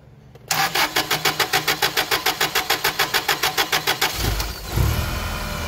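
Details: Toyota 8 Series LPG forklift, 4Y-ECS engine: starter cranks in even, fast strokes for nearly four seconds, firing only once slow-path solenoid pressure (spec 3.5–5 psi) drops to zero; long crank from excess fuel.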